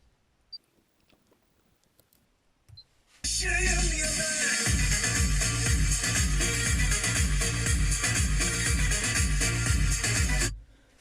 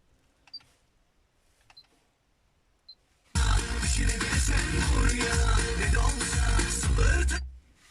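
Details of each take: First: Honda Civic 7th gen (2001-2005) left driver-side front door speaker playing music cleanly at volume 15, full bass and clear highs, no crackle or rattle, compared against the blown, distorted right front speaker. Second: Honda Civic 2001-2005 front right door speaker at volume 15, phone held at cabin centre: after a few clicks, music sounds harsh, boomy and crackling, like a blown speaker; the speaker is to be replaced.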